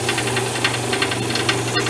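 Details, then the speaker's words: Shop drum sander: a fast, regular light knocking of about seven per second over a steady motor hum. Owner suspects play in the slack link belt and plans to remove one more link to stop it; source not confirmed. "I think I'll take one more loop out of it and that should stop the knockin"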